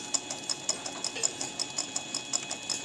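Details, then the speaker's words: DIY tool post grinder using a Black & Decker RTX rotary tool, grinding the chuck jaws of a 7x Chinese mini lathe: light, even ticks about twice a second over the grinder's high whine as the wheel touches each jaw; normal grinding contact. "I'm just going to back this out okay now you can hear it touching let me get a little more"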